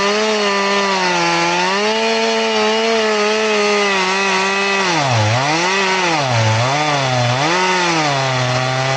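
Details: Chain filed to 10 degrees, crosscutting wood: a steady motor hum sags repeatedly as the chain loads. It cuts smoothly, without the full-chisel jerk, but very slowly because of the shallow file angle, so it is not recommended.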